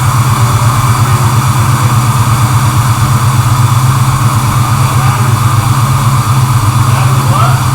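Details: First start of rebuilt six-liter Chevelle engine, magnafluxed block, cleaned aftermarket oil pump; started first try, deep steady even rumble with no knocks or stumbles.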